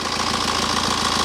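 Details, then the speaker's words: 2010 BMW 318d N47 diesel after new water pump, thermostat, drive belt and tensioner: an even idle clatter with no squeal or chirp. The earlier belt noise is gone; belt, tensioner or pump may have caused it. "the bout is silent that noise that we was having is definitely gone"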